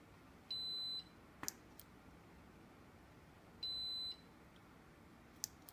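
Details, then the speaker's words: Neewer studio flash head, modeling light working: two high half-second ready beeps about three seconds apart with faint clicks; test button fires only inconsistently, cause of the intermittent misfiring unknown. "I am test again nothing now it's firing so it's misfiring inconsistently"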